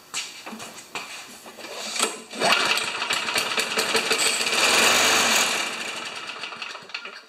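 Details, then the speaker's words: Old Tecumseh engine on a probably 1987 Craftsman Eager 1 mower, brake tied down and cable disconnected for constant spark, start attempt: barks into ragged run about three seconds then sputters out, only leftover fuel, starving; fuel line found hard. "that's all the fueler was in there but okay that tells us a lot should we try and put some fuel in there"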